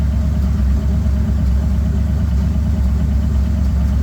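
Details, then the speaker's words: Bombardier engine, not run properly in years, restarted after reassembly to warm up and circulate oil through engine and transmission; deep, steady low idle rumble with no knocks or misses, sounding better each start and close to normal. "Again, sounds better each time they start it up. Getting closer to normal here."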